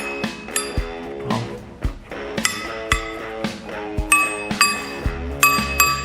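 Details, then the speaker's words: Slitting chisel forged from a 1500 Chevrolet coil spring, just quenched without cracking: light taps give a clear, long high ring, showing it hardened, though not perfectly. "She's not perfectly hardened, but I think all in all, I can't complain too much."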